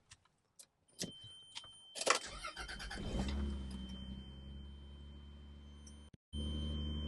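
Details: Car started using a UIBI 3500A lithium jump starter pack, 12.4 V shown, solid green light: a few clicks and rattles, a short crank, then the engine catches and settles into a steady, even idle; starts fine.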